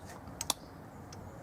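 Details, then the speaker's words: Mobility scooter electromagnetic brake after cleaning rust out: two crisp clicks a split second apart as brake plate engages on stopping, previously silent; brake now engaging normally. "you come to a halt and there's a click as the break goes on again it wasn't clicking now I've cleaned it out"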